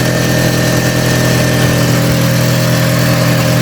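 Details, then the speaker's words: Audi TT Mk1 1.8T Quattro 225 bhp, 6-speed manual, first start at idle after reassembly; fast rhythmic puffing following the firing pulses, an exhaust blow where the exhaust snapped all the way around. "Got a bit of a blow from the exhaust."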